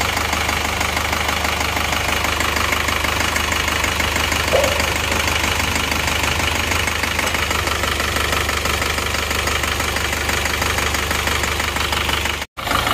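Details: Isuzu Panther Touring diesel with limping idle and dipstick blow-by smoke: uneven idle with rough stumble and knock changing as each injector is cracked open in turn; nozzle, delivery valve or injection pump suspected; misfiring cylinder.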